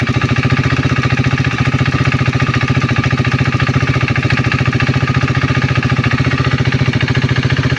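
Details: KTM Duke 390 V2 single-cylinder idle with a crisp, even tick three or four times a second that is often mistaken for the engine head; it is the ECU-driven solenoid purge valve between the evap canister and throttle body, normal ticking.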